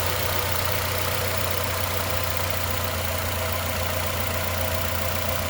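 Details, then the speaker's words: 2011 Nissan Altima, 221,000 miles, after fixing a P0303 cylinder 3 misfire by replacing a cracked valve cover that leaked oil onto the spark plug, plus new plug and coil: steady, even idle hum, constant rpm, no stumbles; running smoothly. "I have a steady RPM. I mean, it's just humming. Uh, it sounds really, really good."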